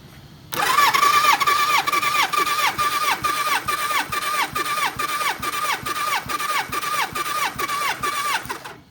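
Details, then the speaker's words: Kawasaki ZN1100 compression test, cranking with a gauge on cylinder four, which reads about 150 (others 160, 170, 145). The starter whirs in even rhythmic pulses until the reading stops rising: normal compression cranking. "Well, you can hear it get to the point where it kind of stops. You don't want to sit there and keep spinning it, because you could hurt the starter, because the starter gets hot after a while."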